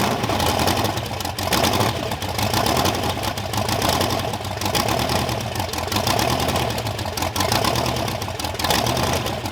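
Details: Supercharged Ardun hot-rod V8 on its first start: deep, lumpy but steady idle with an even beat and no knocking; normal idle.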